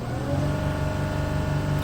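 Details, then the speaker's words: 2007 Mercedes Sprinter OM642 diesel with stuck intake flaps and check engine light, barely warmed; floored, engine holds a flat modest rev level as the ECM restricts power in limp mode. "so you see it it's a limp mode if I floor it abruptly right now that's where it ends the ECM is stopping any other power bei"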